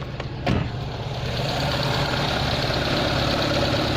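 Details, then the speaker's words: Nissan Bluebird's first start after head gasket replacement, with no coolant in it yet: after a sharp start it settles to a steady, even idle with no knocks or misses, running smoothly. "it runs smoothly woohoo it's got no coolant in it turn it off"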